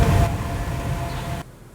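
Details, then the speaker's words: Toyota hybrid coming to a stop: a thin, steady airplane-like whine over low road rumble. This is normal regenerative braking noise, not a failing transmission. "a kind of an airplane whining type noise. Folks will associate that with a bad transmission."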